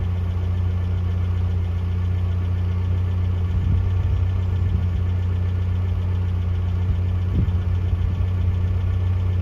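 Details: 1982 Toyota SR5 4x4 pickup after fixing crank-then-cut-off problem (owner thinks emissions control computer box was the cause, everything else replaced): even, steady idle with low hum, no stumbling or dying; running smoothly.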